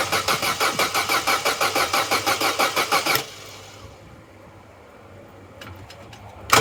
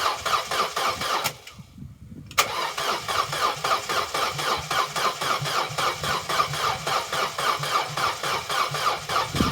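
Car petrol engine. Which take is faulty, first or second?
second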